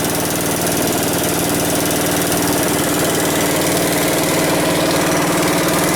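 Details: Westwood T1200 garden tractor, small single-cylinder petrol engine, first start after winter storage on one notch of choke: steady, even running at about three beats a second, no misses or spitting; normal running.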